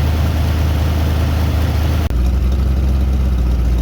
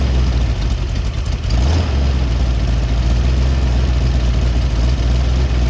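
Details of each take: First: Freshly rebuilt Ford 289 V8 after break-in, timing set at 10–12 degrees, warm: deep, even idle burble with no knocks or misses while the air-fuel mixture screws are adjusted so the engine smooths out. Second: Rebuilt Ford 289 V8 after intake manifold leak repair, setting low idle: deep steady rumble that settles after a brief change as air-fuel mixture screws are backed out from a lean stalling stumble until smooth.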